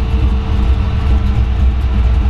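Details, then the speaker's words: 1933 Ford Factory Five kit hot rod coupe, Ford 302 V8, AOD automatic, 586 miles: starts right up, deep even V8 burble at idle, no knocks or misses; water temp 150, oil 50. "we'll get in rest of the way here and fire it up here i'm comfortable sitting here starts right up i didn't have to touch the"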